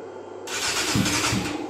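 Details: 1997 Yamaha YZF600 Thundercat that sat in a shed and wouldn't start, air box off: silence then harsh uneven burst as it fires briefly on starter fluid, pointing to fuel starvation.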